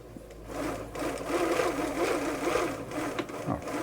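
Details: Bernina 930 Record Electronic sewing machine, not yet serviced, driving the needle bar up and down with the lid on: steady, even whirr with a light rhythmic patter and no knocks or grinding; it runs smoothly.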